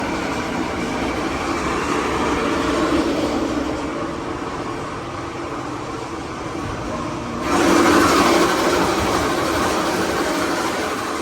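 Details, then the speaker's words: Chilled-water York air handler, reported noisy with noise that comes and goes and weak cooling: loud rumbling blower with a rhythmic rattle about three beats a second from a failed blower motor bearing; bolts also missing or broken off. "well I guess you can figure out the nature of this call he a bit noisy all right so I think we did find the source bearings seem pretty good there this one junk"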